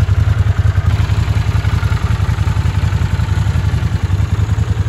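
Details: Vintage Honda CX500 twin motorcycle on a test run after ignition repair and ultrasonic cleaning of the overflowing replacement carburetors. Steady, even exhaust beat at fast idle with no stumbles or misses; it runs cleanly and pulls strongly, unlike before.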